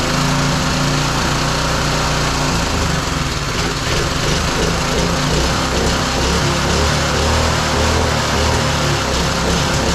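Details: Roadside-salvaged small single-cylinder lawn mower engine for the Tommy Gun mini bike, after choke on then off; it keeps running, but its beat wanders and surges unevenly, fuelling unsettled. The spark plug is changed next.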